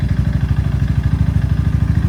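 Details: Suzuki LS650 single at about 4500 rpm climbing a 6% grade into a 35–40 mph headwind: heavy regular hollow knock about eleven beats a second locked to firing; piston slap, teardown found severely seized piston and .009"+ clearance.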